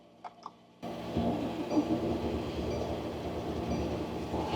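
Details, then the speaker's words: Diesel Mercedes Sprinter van at -7°F after a dead battery, glow plugs cycled, jump starter used: steady labored cranking for several seconds without catching; cold diesel cranks but won't start yet, getting closer. "It's trying, it didn't work. Try it again. Cranking, didn't go."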